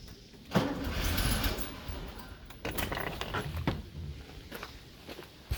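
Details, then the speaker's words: 1974 VW Beetle with a freshly installed 1641cc engine on its first start attempts, timing still being adjusted and the choke not staying closed; it is given throttle and fuel is spraying. Cranking bursts catch briefly and die away. Hard starting. "let me give it some throttle while i do this all right not quite it definitely wants to it is close"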